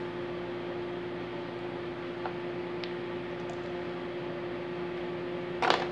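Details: Microwave on 220 V that powered on but would not heat; the fault found was an open 5 kV, 0.8 A high-voltage fuse. Here it runs with a steady, even low hum, constant pitch, no buzzing or arcing pops: normal operation.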